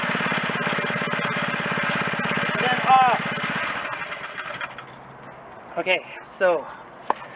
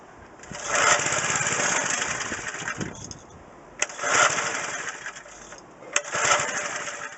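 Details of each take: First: McLane edger small two-stroke after carburetor cleaning and the idle screw turned half a turn out. Steady buzz at half throttle, then cuts out cleanly: running normally. Smoke is cleaning-product residue. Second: McLane edger small two-stroke, carburetor cleaned, fuel lines unclogged, choke fully down. Three short raspy bursts, each cutting out within seconds: it runs about five seconds then sputters and dies. The idle mixture is too lean, fixed by turning the idle screw half a turn out.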